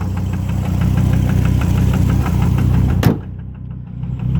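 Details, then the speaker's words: Volvo engine idling while being warmed up: a regular deep knock about three times a second over the idle. The owner is unsure whether the gauge shows real low oil pressure; oil pump and water pump to be changed. Cause unconfirmed. "So what I'm doing now, engine's knocking as you can hear."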